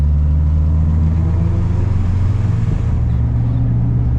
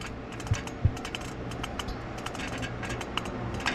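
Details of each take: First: Integra work truck on a test drive after swapping in a new transmission for earlier transmission noise (pilot bearing suspected); steady low engine drone with no whine, knock or grinding, much quieter and smoother; quiet, smooth drivetrain while driving. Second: Pilot bearing turned by hand with the manual transmission removed: dry crunchy clicking, burnt and worn, suspected cause of the transmission noise, to be replaced.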